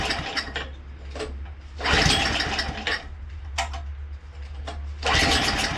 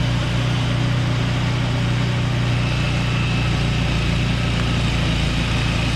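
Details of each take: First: Craftsman 2-stage snowblower engine, unstarted 2 years with old fuel: coughs and surges in uneven bursts, briefly smooths, then stalls; low on fuel, fired right up after adding gas. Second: Free Craftsman two-stage snowblower, unstarted for 2 years with fuel in it, fired right up on fresh gas: steady, even single-cylinder drone, no surging or hesitation, runs great.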